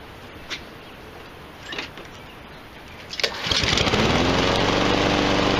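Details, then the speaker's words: Free, almost-new Husqvarna 7021R mower, blade not yet fitted, after freeing the blade brake cable and right wheel: after a few clicks the small engine catches and settles into a steady, even run with no misses or knocks; runs really well. "runs really well"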